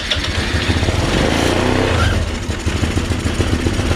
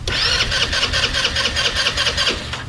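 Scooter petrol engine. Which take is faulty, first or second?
second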